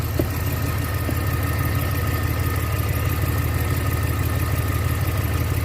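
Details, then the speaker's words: 2019 Ram 1500 Classic idling cold after water pump replacement, bolts torqued to 21 lb-ft, coolant level slightly dropped: faint thin high squeak steadily over even idle, new since the repair; cause unknown. "have no idea why this thing is squeaking. I didn't hear that before."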